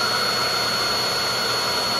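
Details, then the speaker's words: Hoover vacuum running with a steady high motor whine and airy suction, but no brush flutter or beater thump; the brushroll isn't spinning, pointing to the belt (type D Hoover belt, T series). "the brush is not moving so that tells you something along the belt"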